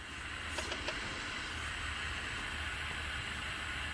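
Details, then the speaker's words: DeWalt D55168 15-gallon compressor, about 10 years old: steady high-pitched hiss over a faint low hum, air leaking from the front of the regulator at its adjustment knob; fixed with regulator repair kit N008792. "let me bring the camera closer so you can hear the air leak you can hear the air it's coming from this front side of the"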